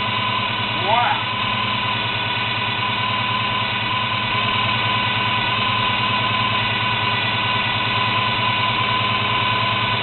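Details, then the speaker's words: 1972 Chevy Monte Carlo small-block 350 V8, carburetor setup before the FiTech EFI conversion, with a bad factory starter. Steady idle with a faint high whine and a slightly uneven lope. Whine of unknown source. "right now the factory starter that's on it right now is bad so the car is a little loud and also I'm going to be tracking down that whining noise"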